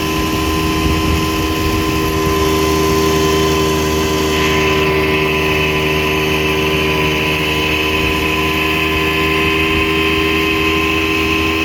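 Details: 1960 Scott-McCulloch 12hp outboard fitted with a 14.1hp McCulloch powerhead, bronze Michigan Wheel prop, 24:1 full-synthetic mix from an OMC pressure tank, lake run at speed: loud, steady high buzz at constant pitch, no misses, surging or knocking; normal healthy running.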